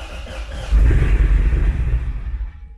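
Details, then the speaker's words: Wrecked Corvette Z06 with new Texas Speed heads and cam, on the lift being tuned with HP Tuners: catches with a deep rumble, holds about a second, then sags and dies; idle airflow was then raised 20%. "it's not bad but then it died so uh went ahead and added idle air flow"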